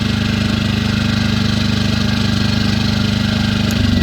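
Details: Firman W2000i 2000 W inverter generator running in eco mode with no load: a steady, even low-speed drone with no hunting or surging. Normal idle.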